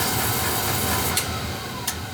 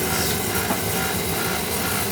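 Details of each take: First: Oil-fired boiler burner after filter and nozzle change and bleeding air from an overhead-fed oil line: steady, even roar with no pulsing or sputter; sounds better now. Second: Oil burner running with a steady rough rumble and gritty grinding under the burner roar; the blower motor's bearings are worn out, oiling suggested.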